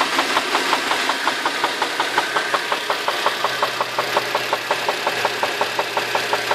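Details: Infiniti FX35 engine warmed up at idle; sharp, very regular knock a bit under three per second above the engine hum; internal engine knock, cause unknown.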